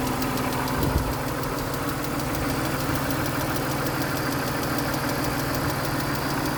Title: 2000 BMW Z3 2.5 engine clicking sound July 4, 2026